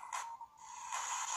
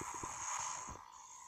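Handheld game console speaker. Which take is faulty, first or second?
second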